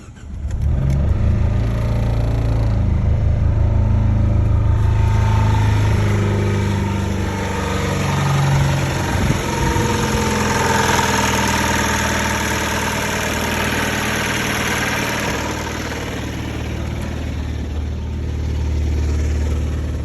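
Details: Dodge Dart with 120,000 miles, engine idling: a low, uneven beat whose pitch wavers instead of holding steady, a rough idle.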